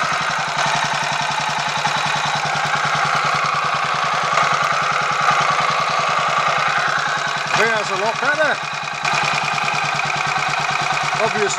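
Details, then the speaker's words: Royal Enfield 500 Machismo electric-start single after starter noise fix, 20W-50 oil replacing ATF in the starter sprag/freewheel area, cold with choke on: quick even thumping idle with only a light mechanical whirr; some whirr expected in that setup; normal idle. "still a woring noise I mean you're going to get some degree of noise in a setup like that but um it doesn't all sound like it's going to do anything unpleasant in a blink of an eye"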